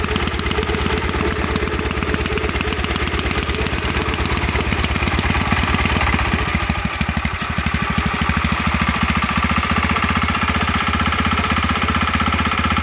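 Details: Wheel Horse garden tractor "Buster", out of gear: steady, even single-cylinder thump at idle that holds its beat without missing or hunting; small engine runs sound.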